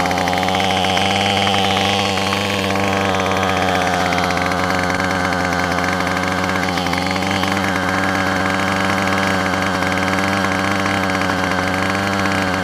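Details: Yard Machines two-stroke weed eater that had been running rough, after its carburetor, gasket and spark plug were replaced: a steady, even buzz at constant pitch with no misfires or surging. Normal running.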